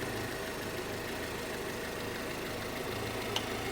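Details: Honda CR-V (RD1) after repairing a burst small upper heater hose and refilling with water, checked for bubbling from a possible blown head gasket: quiet, even idle with a soft, steady low rumble, no knocks or bubbling; sounds healthy.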